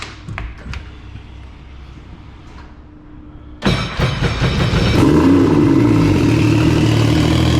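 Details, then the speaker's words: Personal watercraft, said to run great; after a few quiet seconds the engine catches and settles into a steady, even burble with no knocks or misses; healthy idle. "so that still here runs great let you guys"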